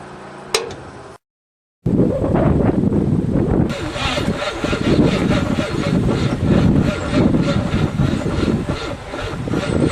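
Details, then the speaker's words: 1963 Allis-Chalmers front loader with 1978 Monte Carlo 305 gasoline V8, first start after 5.5 years parked outside: loud uneven starter churning, rough rhythmic pulses, no catch; feels tight, owner unsure if battery connection or seizing engine; crank no start. "Cranking. Pump that bitch. She's awful tight. Well, I think I gotta see if it's a battery connection or a seizing motor. No luck so far."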